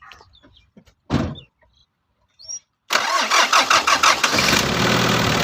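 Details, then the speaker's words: Mitsubishi L200 4D56 diesel that would not start cold in the mornings and started only with effort when warm; after repair, short cranking, then it catches quickly into a steady, even idle: healthy cold start. "তো viewers দেখতে পাচ্ছেন যে গাড়ি start হয়েছে। তো দেখলেন গাড়ি start হইতেছে।"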